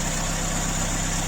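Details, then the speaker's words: Ford Escort MK2 barn find revived after 27 years, running outside on fresh fuel, choke off, blow-by gone; steady, even idle with smooth low thrum, no knocks or misses; normal idle. "and got it outside and it is idling away sweet isn't it sounds absolutely perfect all the blow-by is gone here on the exhaust here it's powering away choke off me absolutely marvelous"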